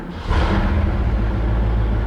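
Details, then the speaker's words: Freshly restored 1966 Ford Mustang convertible with electric-choke carburetor; after a brief crank it catches quickly and settles into a strong, even rumble: normal start. "and she starts right up I didn't put do an aggressive in exhaust system mod uh it might sound a little bit noisy in the video or aggressive in the video but it really isn't"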